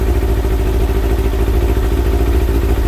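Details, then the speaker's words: Kawasaki ZX6R J2 inline-four warming up, at 55, after new main jets and needle clip change, carbs checked with Carbtune Pro: loud, lumpy slightly uneven idle about three pulses a second with clatter; carburettors out of balance before synchronising. "We have to let the engine warm up, so we're at 55 at the moment. You can see that it's quite out."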